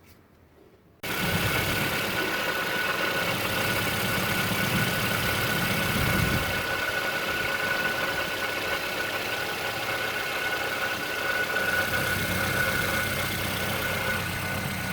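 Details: 2007 Toyota Yaris idling steadily with a rough, gritty grind and faint constant whine from the front; owner suspects the water pump, unconfirmed; grinding noise at idle.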